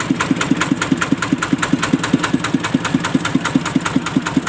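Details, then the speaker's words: Thai farm truck (E-taen) with a single-cylinder ET115 diesel, valves freshly adjusted: steady, even puk-puk idle at about five beats a second with no misses or knocks; healthy idle. "ผมก็เพิ่งทำให้แกแป๊บเดียวครับตั้งวาล์วให้แกใหม่เมื่อกี้จะได้ยินเสียงปุ๊กๆๆนะครับ"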